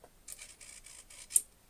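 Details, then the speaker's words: Model railway turnout servo slowed by Arduino code: faint quiet buzzing in short separate bursts rather than one smooth sweep, jerky steps; owner suspects the Arduino loop runs slower every quarter second while receiving updates and sending. "so the loop is probably taking longer every quarter of a second than it usually would and that's what giving us what's giving us the breaks in there"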